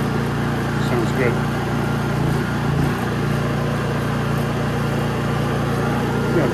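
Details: Honda EU3000is inverter generator with a propane-kit venturi plate fitted to the carburetor, started on gasoline with full choke: steady, even low hum with no misses or knocks, settling into a smooth run. Normal running.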